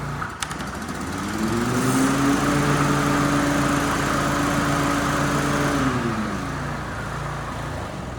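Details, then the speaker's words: Toro TimeCutter 30-inch walk-behind mower whose blades wouldn't engage, after a blade/PTO belt swap: engine note rises to a steady, even hum as the blades engage, with no squeal or slap. Normal blade engagement. "That looks pretty good to me, guys. And nothing's caught. It's not too hard to engage."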